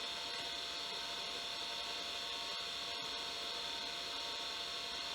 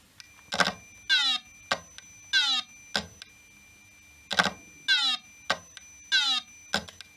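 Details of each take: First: 1989 Acorn A3000 hard drive, microphone close, after repair of a drive that spun up and down then stopped; steady high whine at one pitch, starting straight away without cycling and loading the OS: normal hard drive spin-up. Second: 1989 Acorn A3000 computer at power-up: hard drive repeatedly whirs up with clicks then spins down and stops; a power supply fault was suspected, but the cause is a corroded connector starving the drive, not bad drive mechanics.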